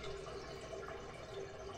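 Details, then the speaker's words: Toilet flushes sluggishly, water not fully draining, then bubbling gurgles as it goes down; augering several times failed, and a partial blockage before the main drain is suspected. "But you can see when I'm flushing this toilet, the water is not quite going all the way down. And then when it does go down, you'll hear that gurgling noise."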